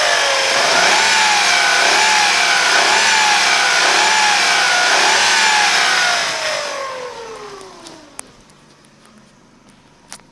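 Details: 2005 Corsa C 1.0 litre: a loud whine over the engine drone that rises and falls with revs, then fades as the engine stops. The whine began right after a new timing chain and water pump were fitted two days earlier; the cause is unknown.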